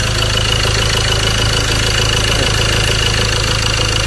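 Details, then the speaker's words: Ford Ranger T6 2.2 diesel, 300,000 km, lacking power and smoking heavily: rough idle with a fast uneven clatter over a loud rumble, before overhaul; loose, worn engine with blow-by. "ควันออกเครื่องหลวมเดี๋ยวไปเทียบดูอีกคันนึงเนาะ"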